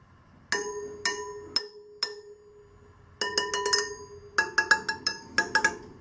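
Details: Sur Ron Light Bee wheel spokes being tapped: sharp bright pings with short ringing tails, none dull or thuddy (loose spokes thud); spokes are properly tight.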